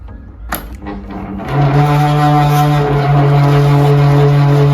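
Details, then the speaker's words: Household electric fan switched on: a few clicks, then a loud steady low hum; it spins, gets noisy, then stops; sticky motor shaft bushing. "เปิดเครื่องนะครับหมุนแล้วมีเสียงดังแล้วก็หยุดหมุนนะครับ"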